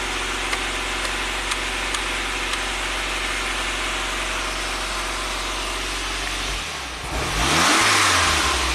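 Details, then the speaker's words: 1993 Saab 9000 CSE Turbo, hot idle too high around 1,400 rpm, check engine flashing code 5 (TPS signal suspected): steady idle, then a brief sag and slow uneven rev climb on throttle opening; stumbles on tip-in. "okay going to bring the idle up still has that stumble so check engine is on"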